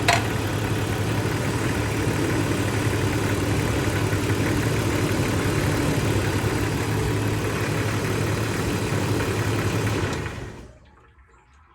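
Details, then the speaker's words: 1994 Jeep Grand Cherokee OBD1, code 41: even idle about ten seconds, then the engine abruptly dies when a battery terminal is disconnected, confirming the alternator isn't charging. "There you go guys. That is confirmed a bad alternator."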